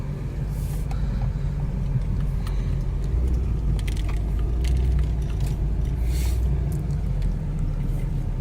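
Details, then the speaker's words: 2001-04 Chevy Optra driving after replacing the CV axle with a torn boot, which caused the clunking first blamed on the strut: steady road and tyre noise, only light cabin rattles, no clunks; fixed. "I think it's already fixed. No more sounds."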